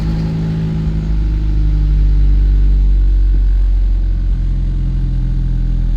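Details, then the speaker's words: 2016 Hyundai Veloster Turbo DCT starting after the battery was reconnected during a brake pad job; recently replaced battery holds charge, engine fires and settles straight into a steady, even low rumble with no stumble, healthy quick start. "started right up so the batter is holding a charge that I just recently replaced"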